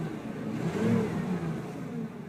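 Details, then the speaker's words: 1994 Ford Bronco Eddie Bauer with recently replaced starter, battery cables and terminals and a fairly new battery, revved: smooth rev rising and falling back to an even idle, no knocks or rattles; runs and sounds great, normal. "The truck, runs and sounds great."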